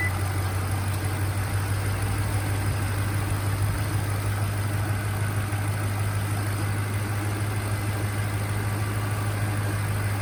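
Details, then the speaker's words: Lexus LS430 idling after PCV valve replacement and hose tightening, oil fill cap loosened to check crankcase pressure; smooth, steady low idle hum with no ticking or knocking, no blow-by seen. Valve cover was still leaking beforehand. "doesn't doesn't seem to be any blow-by"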